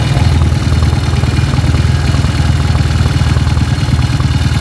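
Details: Honda CB motorcycle with a stroked-up engine, before teardown: loud, lumpy single-cylinder idle with a coarse, uneven beat and heavy low-end thrum. The bike vibrates badly, with camshaft clatter in the head from a worn, loose camshaft.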